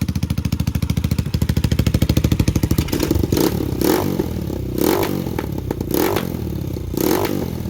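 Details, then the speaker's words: Lifan KP Mini 150 with swapped CG250 167FMM engine, exhaust work unfinished, low on fuel: sharp puffing idle at about three beats a second with rough throttle blips and a raspy chuff from an exhaust leak. "now it's leaking from the exhaust because like I said I still got to do some things over there"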